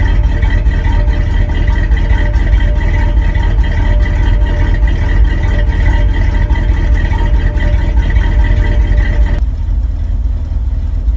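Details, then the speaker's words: 1974 Ford F-350 after long sitting, idling: steady even V8 rumble, no knocks or misses, good oil pressure; small exhaust leak in the pipe just below the manifold joint, accelerator pump leaking fuel. "I can't believe it still runs still sounds good"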